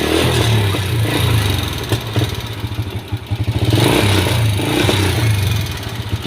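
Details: Honda Wave S single-cylinder engine with worn engine and white exhaust smoke: idles and revs with a dry, clattering tap from the cylinder head; loose cam chain, with pitted cam and rocker arm needing replacement.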